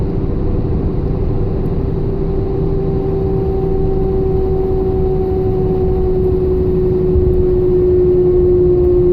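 A steady mid-pitch whine holds over the engine rumble and rises slightly near the end; cause unknown, whining while running.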